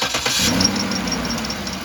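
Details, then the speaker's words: 2007 Cadillac DTS starting after water pump replacement, checked for a squeak from a bent guard. It cranks, catches and settles into an even idle with no squeal or chirp; no squeak; normal. "So we're going to start the car back up, make sure that doesn't squeak. If it doesn't squeak, we can put the front cover back on."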